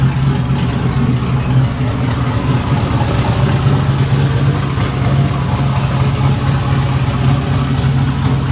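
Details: LQ4 V8 swapped into a Fairmont, running on Holley Terminator X: deep steady burble, even and unbroken with no knocks or misfires; engine idling well.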